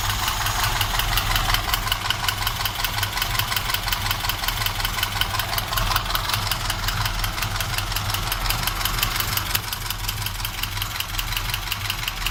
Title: Стук в двигателе Москвич